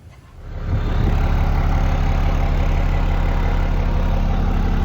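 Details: 1997 Dodge Ram 2500 12-valve Cummins diesel project truck with Airdog: catches within a second, then settles into a deep even diesel clatter at steady idle with no stumbles; normal idle.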